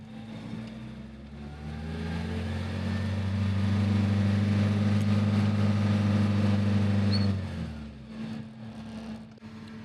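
Catches straight away and settles into a steady, even hum for several seconds before shutting off; a good clean start.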